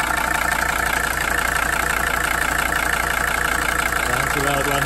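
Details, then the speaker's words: 1982 Mercedes 300SD turbo diesel bought non-running, first running after fuel system work and fuel shut-off cable disconnected: steady, even diesel clatter at idle, no misses or knocks; idling normally. "maybe it just needed some more fuel flaming and near batteries but uh yeah keep running sounds all right"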